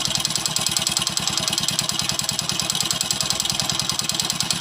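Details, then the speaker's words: Motorcycle idling, head work done, zero-size cylinder kit fitted: loud metallic tick-clatter over the thump, worsening with throttle; piston knock, to be fixed by reboring to 25 and a new cylinder. "इस प्रकार का इस bike के अंदर sound की problem increase हो रही है"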